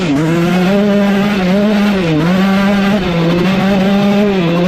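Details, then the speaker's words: 2003 Suzuki RM125 two-stroke holding a steady high buzz with brief dip, clean and without bog, with 165 main jet fitted; plug turning chocolate brown, running healthy. "oh o all right absolutely zero issues with the 165 in there so we're going to leave that"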